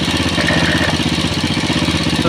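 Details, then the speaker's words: Old motorcycle said to idle smoothly when cold but run rough after 20–25 km, now hot: steady, even idle with a regular soft pulse and no knocks or ticks, showing the oil pump is working well; normal idle. "memang kalau dia langsam suaranya gini guys ya kalau pompa itu bekerja dengan baik jika sikit gini aja seperti itulah kalau tandanya mau polisi bekerja dengan baik atau jalur olinya bekerja dengan baik ya"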